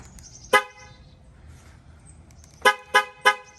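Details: 2015 Ford Mustang V6 after a BBK headers install: four short horn toots, one then three close together, with no cranking heard. The alarm blocks the start, likely because the hood is open.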